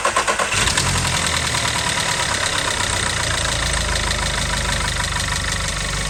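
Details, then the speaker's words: Audi A1 1.4 TFSI (CAXA four-cylinder petrol), started after an oil change with about 3.5 of 3.6 litres added and run a few minutes: it catches quickly after a brief crank and settles into a steady idle with no knocks or misses. Normal start and idle. "I managed to get about 3.5 liters in very slowly into put the filler cup back on and run the engine for a few minutes"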